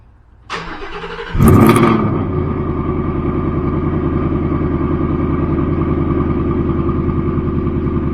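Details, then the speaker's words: Newly installed Ford Coyote engine, car back after repair, first cold start on the second day: catches quickly, flares, then settles to a smooth, even idle with no ticking or knocking. Normal cold start. "it was really good and ourselves fantastic I'm telling ya I don't hear one noise"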